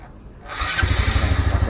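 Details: Honda Supra X 125 Fi (KYZ) fuel-injected motorcycle after battery charge, before ECU reset: brief starter whirr, the engine catches at once and settles into an even quick idle; clean, healthy electric start.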